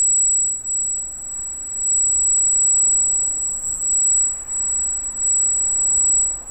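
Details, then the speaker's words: Arris CM2000 brushless camera gimbal, freshly installed with a GoPro Hero for FPV: a thin, steady high-pitched whine at one pitch, the gimbal motors squealing while powered, which the owner says is part of the setup. "that's the heiress you can hear it squealing like crazy"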